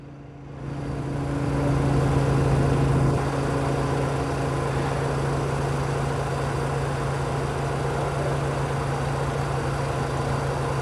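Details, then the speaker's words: Engine idling on closed-loop ignition timing via ion sensing, with a manual timing offset applied while the loop corrects it: steady low idle that shifts in tone after a few seconds. Rough idle from ignition timing offset. "we can even go the other direction and you can hear the engine change how it's running as this goes on"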